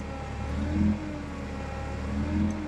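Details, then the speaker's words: Newly acquired forklift, no longer spraying fluid, running: slow rise and fall in engine speed about every second and a half; mild idle surging, cause not yet found. "you can still hear a little bit of a surging on this thing that's okay"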